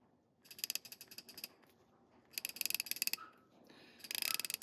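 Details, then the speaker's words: Astro Tools 91210 72-tooth ratchet, 1/2" drive head in a 3/8" body, taken apart and oiled with 3-in-1 oil: three bursts of fast, crisp, even clicks as the handle swings back; the pawl ticks cleanly and the ratchet works properly. "Doesn't sound too bad, does it? It's a pretty nice ratchet."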